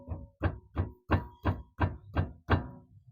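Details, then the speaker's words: VW Polo: hand taps on the front wheel bring a dull knock with a short metallic clinking from the front brake caliper, caused by worn caliper guide pins, not the lower ball joint; noise occurs off-road. "அதுல பாத்தீங்க இல்லையா கிளிங் கிளிங்னு அந்த noise வந்துச்சு இல்லையா குழுங்குது இந்தா இது கேலிப்பர்ல இருந்துதாங்க வருது."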